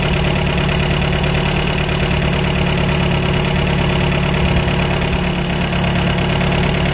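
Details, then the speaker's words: 1953 MG TD after an engine teardown. The twin SU carburetors have been mixture-tuned, and the tachometer idle looks right before the settings are locked in. The idle is steady and even, with no stumble or hunting. "the idle on the tachometer looks all right so i'm going to lock them in at this position"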